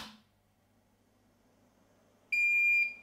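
After a quiet moment, one clear high beep lasting about half a second: the printer's normal power-on signal.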